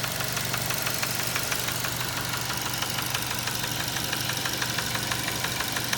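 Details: 2007 Nissan Tiida 1.6 engine, automatic transmission, at idle; sharp regular knocking about three per second standing out above the engine; serious internal knock, engine replaced with a used contract engine.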